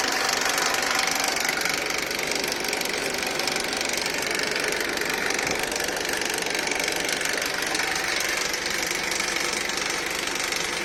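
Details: Honda Accord K24 petrol engine idling with a steady, fast metallic rattle over the running sound throughout.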